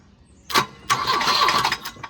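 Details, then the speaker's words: Volvo 242 abandoned in woods, cranked from under the hood with a remote starter, wiring cut: short cranking bursts with loose metallic clanking; something at the front loose, crank bolt present, cause unclear. "What's all that noise? Something's loose. Something loose clanking around."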